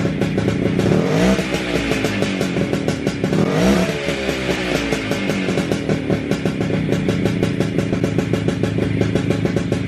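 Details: WSK 125 two-stroke motorcycle, first start after engine rebuild, engine back in frame: crisp even beat with a couple of clean blips settling back to steady idle; owner surprised it started and held idle. Normal running.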